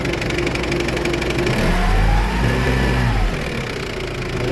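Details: Toyota forklift after no-start battery issue, charging voltage rising to about 14 V on throttle: engine climbs smoothly through a rev and settles to an even idle with no misses or knocks.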